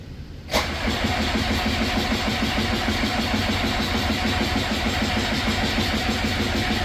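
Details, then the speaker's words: Skid loader diesel at 22°F with suspected water in the fuel line. The starter cranks steadily at about three beats a second but the engine never starts. Afterwards air was released and the fuel line softened. "Still nothing."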